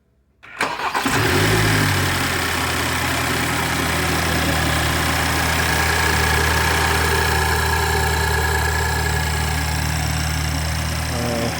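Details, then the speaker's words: 2013 BMW X1 N20 four-cylinder after a crank-but-no-start repair, including oil pump chain and fuel pump module, on first start: a short crank catches quickly, revs briefly, then settles into a smooth steady idle with no knock. "there it is starts runs and drives after all that"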